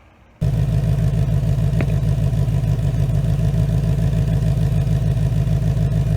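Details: 2019 Mustang GT with Whipple supercharger, new built engine after a broken piston and melted catalytic converters, breaking in on BR30 oil: catches and settles into a deep, even idle, no ticks or knocks; runs smooth.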